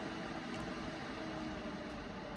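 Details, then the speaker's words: ACMEMATION 120mm PWM case fan, one fan at about 75% speed, 9 V actual, recorded about a foot from a decibel meter; steady soft airy hum, faint tone, no ticking or rattle. "So we're about a foot away from the decibel meter. And if we drop that down to about 75% speed,"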